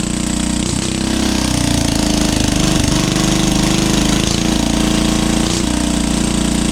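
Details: 12HP air-cooled single-cylinder diesel, test-run after overhaul; it had been hard to turn over and ran only once. Owner suspected a bad piston. Rocker arm and valve clearance were reset. Fast, steady, even chugging with no misses or knocks: normal running.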